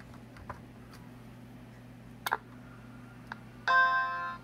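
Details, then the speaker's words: Macintosh IIsi after reinstalling fan and power supply, first power-on: steady fan hum, then a clean sustained startup chime; boots normally, power supply fixed. "Hey, I like that sound. All right, we're good. It's fixed."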